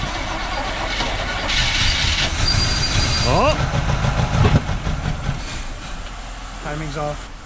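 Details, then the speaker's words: 1977 Chevrolet C10 small-block V8, first start after possibly many years sitting, choked: starter grinds it over with a brief uneven catch that never settles into a run; fouled spark plugs stop it firing. "that's the best they could do it's being tricky to start guys"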